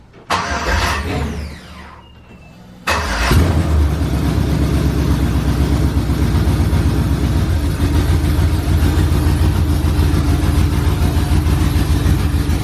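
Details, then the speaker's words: OBS truck V8 with straight headers after a computer reprogram, started in the morning: it cranks briefly, catches and settles into a loud, even, lumpy idle with no misses or knocks. Normal start and idle. "well yeah man happy now that it runs the idols and it drives"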